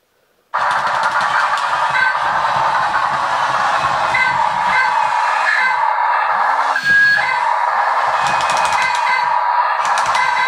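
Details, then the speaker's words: RC Newray Volvo A40D model dump truck, original drive: motor whine swoops up and down in short bursts with rapid clicking as the slip clutch on the drive wheels slips constantly; drive motors too weak to carry the truck, need replacing. "all that seems to be happening is the slip clutch is going on the drive Wheels all the time so we definitely need to change the drive motor"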